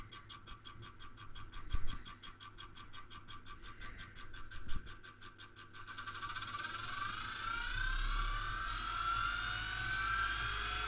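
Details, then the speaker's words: Brüel & Kjær WA 0155 balancing demo unit, fitted with a new belt, motor run at adjustable speed: even pulsing about four a second that climbs into a steady whine. The feedback-regulated motor holds speed rock steady, as normal. "and it's rock steady over there because it's feedback regulated and all that kind of stuff"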